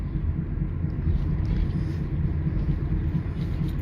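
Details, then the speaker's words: 2009 Toyota Sienna FWD 3.5 V6 coasting without throttle: low steady droning rumble with slight wobble from the front, owner thinks passenger/right side; suspected worn front wheel bearing, not confirmed. "So if you hear this noise or wobbling sound in your vehicle, uh that's definitely the wheel bearing need to be replaced."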